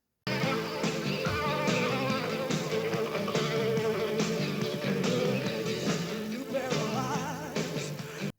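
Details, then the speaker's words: Sony Betamax C5 playing a music tape: slow wavering pitch, singer's voice wobbling as if shivering; uneven capstan and head-drum speed from bad capacitors in the servo motor control electronics; belt replacement and cleaning didn't help. "Sound is kind of vibrating or waving, and it sounds like a singer of the music is shaking cold or something like that."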